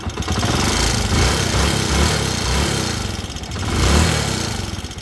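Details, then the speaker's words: Honda TMX 125 Alpha motorcycle, block replaced just days ago, owner complains of engine noise: loud harsh rattle over uneven idle beat, swelling with revs; abnormal engine noise at idle, cause unknown. "Sino ba naman ang hindi sasakit ang tenga dyan sa tunog na yan?"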